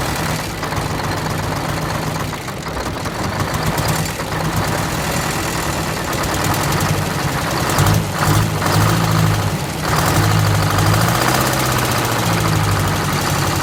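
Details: 1969 International 400 dump truck, Detroit 8V-71 two-stroke V8 diesel, after cracked bell housing chained shut and air starter used, fuel stabilizer and cetane boost added: loud even idle with busy rapid rattle, no misfire or stumble; normal idle.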